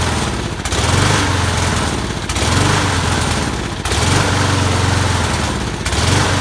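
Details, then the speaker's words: Lawn mower engine revving up then sagging nearly to a stall about every second and a half, needing repeated priming to stay running; carb fuel starvation, found to be clogged channel holes in the float bowl bottom bolt. "all right so a lawnmower is uh won't stay running i headl turn on and then I have to keep priming it to keep it running so I think there's something wrong with the carb possibly not enough vacuum to pull fuel"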